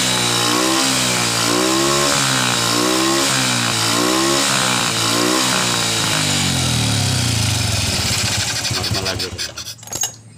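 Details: First-generation Honda Revo carbureted motorcycle that died when throttled, after cleaning a clogged carburetor jet: engine blips up and down cleanly without stumbling, then returns and shuts off; carburetion now fine.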